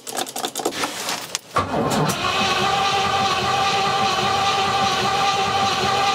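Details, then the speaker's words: Rover P6 with a 4.6 V8 on carburetors, with timing set and fuel confirmed reaching the carburetors: after some clicks the starter whirrs at a steady, even speed with no firing or rise in revs; it cranks but won't start, cause unknown. "honestly i am confused everything was left set up so it would work last time james was here the timing was set up right we've done everything we checked everything possible i just don't know why it won't go"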